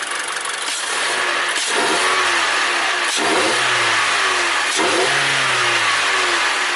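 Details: 2014 Mazda 3 2.0 Skyactiv just after a K&N cold air intake install, filter, pipe and sensor reconnected: three quick throttle blips, each rising and falling cleanly with loud intake roar, no knocks or misses; sounds healthy.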